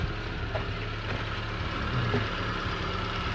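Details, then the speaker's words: Hyundai Getz after engine reassembly and restart, coolant being bled of air; even, steady idle with a smooth swell when blipped, no misfire or stumbles, running healthy on all cylinders. "The car is idling very, very nicely. There's no misfire. It's just purring like a kitten, so I'm happy."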